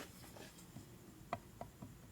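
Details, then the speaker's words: 1961 Harley XLCH Sportster, engine stopped, customer's fresh rebuild under inspection: a few sharp metallic clicks as the number 4 cam is rocked by hand; a worn cam bushing with excessive clearance. "If there's any clearance, it's loose. Hear it? That's loose."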